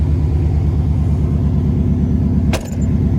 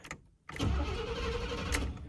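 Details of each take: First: Chevy truck running again after sitting about seven years with rebuilt rear end: steady even low idle rumble, smooth regular pulse, no knocks or misses, normal idle. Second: Chevy abandoned for 6 years, fitted with a new starter and battery: the starter spins the engine steadily but it never starts; the fuel pump buzzes and the fuel gauge reads empty. Cause not confirmed.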